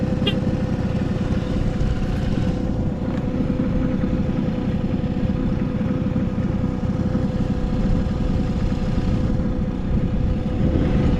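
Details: Vintage Honda 12V Squash (AB11-1055) moped, running check: a steady, quiet buzzing idle with even firing and no clatter or knocking over some street background; quiet engine, no abnormal noise, healthy.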